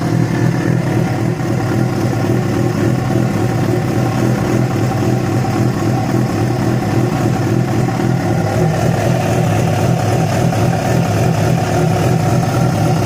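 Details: Yamaha FZ6 inline-four idling and revving with a loose, irregular rattle under the exhaust note; began after riding about 70 km on two cylinders due to a failed ignition coil connector; cause unclear.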